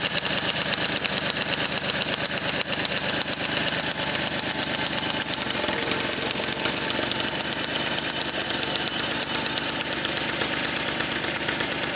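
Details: 1978 Motobécane 51 VS moped, engine seized after thirty years idle, fully rebuilt with new rings, bearings, oil seals, clutch, points and condenser, started on first pedal; crisp even small two-stroke buzz settling into steady run, no knocks or misfires, normal running.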